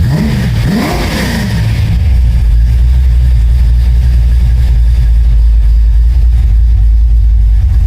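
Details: 1972 Oldsmobile Cutlass after an electric fuel pump install through a relay, with good AFR and no leaks. It takes a couple of quick revs, then settles into a deep, steady, even rumble with no misses or knocks; running healthy.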